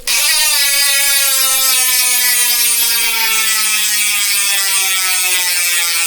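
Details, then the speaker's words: Speed 1 Sniper rear hub on a Mountainpeak Everest Pro 2024 29-inch XC bike, freewheeling: loud, high-pitched ratcheting buzz holding steady, then dropping in pitch as the wheel slows; normal loud hub. "Pero kahit na hindi naka-power spring, maingay pa rin. Yan yung tulog niya, no? Sakit sa tinga."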